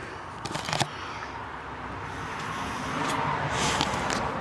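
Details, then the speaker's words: Matsushita TM-202G monitor in a Time Soldiers arcade cabinet on first power-up: sharp crackling snaps in bursts, then a rising hiss and sizzle with a burning smell; high-voltage arcing, suspected where a resistor was loose. "Definitely something arcing there. Stinks too."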